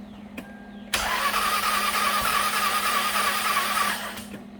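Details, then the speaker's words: 2000 Lexus ES300 3.0 V6 interference engine, died while driving, towed in, on a jumper pack: cranks fast and evenly with no compression and no firing, as if no spark plugs were in; mechanic says the timing belt has most likely broken. "Sounds like it got no spark plugs in it. You know why? More than likely, timing belt broke."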